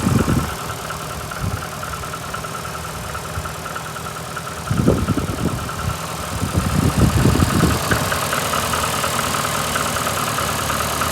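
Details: VAZ 2115 8-valve engine, cold idle after head gasket failure at cylinder 1 seven days ago (antifreeze and 5W40 Lukoil oil changed): rough misfiring idle with irregular thumps and a rubbing knock; sound changes when warm, check-engine light comes on; owner suspects worn valves, cause unknown.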